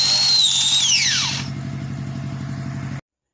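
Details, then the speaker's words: Angle grinder that vibrates, clacks "krek krek" and struggles to turn: strained, high "nging" whine that sags and dies quickly, with a thudding diesel in the background. It is heavy to spin, caused by a damaged gear-head bearing. "nah oke Lur ee untuk selanjutnya akan kita tes Lur Bagaimanakah [Musik] suaranya nah oke Lur Mungkin sedikit bising karena ada suara diesel ya Lur ya kita lebih dekatkan"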